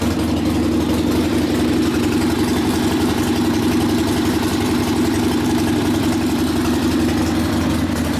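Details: Rebuilt 1972 Harley Sportster XLCH Ironhead after case repair, brand-new rings, good oil pressure: steady, even V-twin idle with crisp firing, slightly fast, to be lowered after break-in, no misses or knocks; normal idle.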